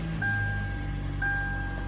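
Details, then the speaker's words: 2009 Hyundai Elantra idling after the fix: smooth, steady idle with the dashboard clicking and rattling gone, broken only by two chime tones about a second apart; the noise came from the hood stop supports. "see so that clicking noise is gone"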